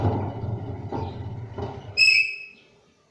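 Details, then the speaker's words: Washing machine drum turned by hand to check the bearings: a rough, gravelly rumble from the drum indicates defective drum bearings. Vertical up-and-down play of the drum is also a sign. "this one you can hear that sound coming from the drum"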